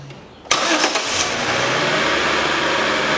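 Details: 2011 Chevrolet Epica 2.0 automatic after replacing drive belt and idler/tensioner rollers: quiet, quick crank, engine catches cleanly and settles into a steady, even idle with no squeal or chirp; normal engine start.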